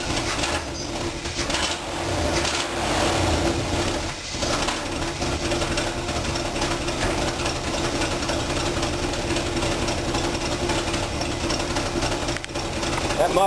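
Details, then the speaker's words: Chevy 350 V8 in a Rambler, heard at idle after a car-show drive: a rough idle with a dull, muffled puffing chuff on each firing pulse. Owner is fairly sure the exhaust manifold gasket is blown and the leak is low down, not felt by hand. "I noticed it's starting to make that little muffly sound that old Chevy motors start making after a little while when they blow out the uh exhaust manifold gasket, which I'm pretty sure this has done."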